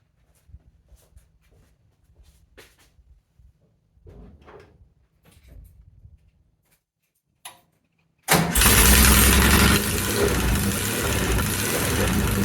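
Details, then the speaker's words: 1969 VW bus cranks briefly, catches and settles into a loud, raspy, open-sounding idle with only half an exhaust fitted. The J-tubes are missing so the pipes are unsealed; recorded before fitting them to see if it gets quieter. "All right, now before I replace this exhaust, let's just see what this thing sounds like with only half an exhaust."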